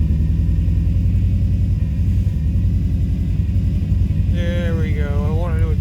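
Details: 2005 Subaru Forester XT after an idle adjustment; codes show a blow-by function problem and a P21xx code, owner concerned about blow-by, earlier a coil miss and suspected rich running. Low idle thump that stumbles and pulses unevenly; rough idle, cause suspected, not confirmed.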